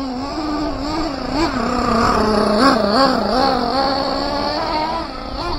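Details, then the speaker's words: Team Associated MGT nitro RC truck, first extended run, untuned and warming up: burbling, uneven tone that wanders and never clears crisply on throttle; sluggish, low-speed needle judged off, then richened up. "yeah she is super sluggish she needs to be rich um lean out a little bit"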